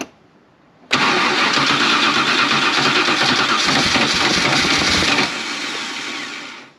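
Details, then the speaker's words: 1988 Holden VL SV88, Rochester Quadrajet carburettor, cranked with no throttle: it cranks about four seconds without catching, then rushes and fades. Fuel is seen welling up out of the carby, so it is flooding; a needle and seat held open by suspected debris. "Yeah, she's flooding. Oh, it's a needle and seat. I can see the petrol coming up now here and up through here."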